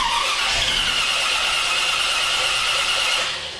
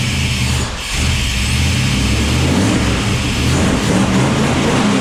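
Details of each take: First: Small-block Chevy 400 V8 with a newly installed JEGS Bandit throttle-body EFI cranks but won't start: steady high starter whine, never catches, because the EFI gets no RPM/tach signal from the HEI distributor, although there is enough fuel. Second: Small-block 400 cu in V8, just fitted with a JEGS Bandit EFI set to 750 rpm warm idle; fuel pump pressure is doubted. It fires and runs steadily with a few rev blips for about twelve seconds. Healthy running.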